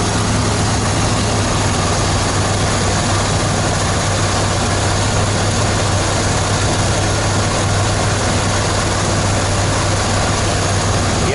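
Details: RV tow-vehicle truck engine, not too hot, idles with a steady, even low rumble and no knocks, ticks or whine; the earlier noise is gone, though a small passenger-side exhaust leak is starting.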